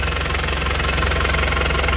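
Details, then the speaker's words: 2005 Isuzu Panther Grand Touring turbo diesel, idling; steady, even diesel clatter with no stumble or heavy knock, no smoke from the oil dipstick tube, underside dry with no oil leaks; normal healthy idle. "Kalau saya ngecek mesin seperti itu. Jadi dari suara bagus, dari dstikoli tidak keluar asap."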